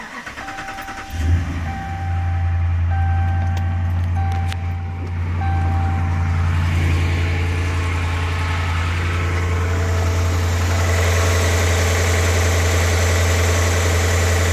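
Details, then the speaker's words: 2011 Dodge Ram 1500 Hemi at 219,725 miles, cold start after sitting since yesterday: cranks and catches, then a deep, steady idle with no ticking or tapping after switching from Castrol Edge to Pennzoil Platinum Ultra 5W-20. "and I uh haven't ran it since yesterday so it's cold start uh it seems to be running well"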